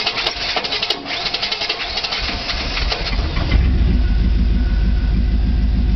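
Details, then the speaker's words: 1998 Chevy Silverado, 350 Vortec, 145,000 miles. After the flywheel and starter were replaced for ground-out teeth, it still cranks laboriously before catching, then idles lumpy and uneven: hard starting and rough running. "that's what it's doing um like i said replace the flower places start it still sounds like sometimes it runs like sometimes it doesn't"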